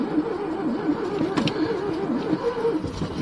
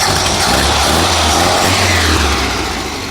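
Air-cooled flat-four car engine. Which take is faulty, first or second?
first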